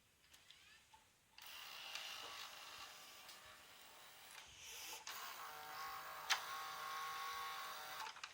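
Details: Panasonic NV-HS950EC VCR with a tape that won't start or eject. A small motor whirs in bursts, stops and restarts but never completes a load, a tape loading mechanism fault later traced to a hard-to-find broken part.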